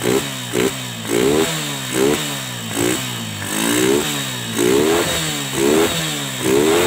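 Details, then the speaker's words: Honda Megapro Primus single cylinder, kick-started due to weak battery, fault was dirt-restricted fuel flow causing stalling and jerking: blipped about once a second, picks up cleanly, steady idle without stumbling; healthy. "Oke teman-teman ini sudah nyala mesinnya juga mesinnya juga halus ya teman-teman Nah tidak ada tidak ada kendala di bagian mesin"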